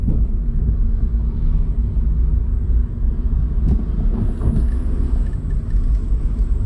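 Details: 2006 Hyundai Tiburon GS 2.0L automatic on a test drive after a welded flexpipe repair; low smooth road rumble, no roar or blowing under acceleration, exhaust quiet and sealed. It was formerly jet-engine loud when accelerating, and the weld was still holding a week later.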